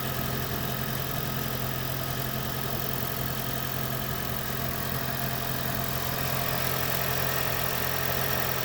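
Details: 2010 Toyota Prius petrol engine after its knocking and rattling was fixed, now idling smoothly and steadily with an even low hum, no knocking or rattling.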